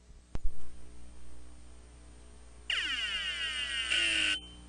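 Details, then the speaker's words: Hard drive with stiction, heads stuck to the platter so the spindle can't spin: about two seconds of high, sweeping, buzzy whine like Star Trek phasers; fix is breaking the head free from the platter. "but basically the head is stuck to the platter this is the sound you will normally"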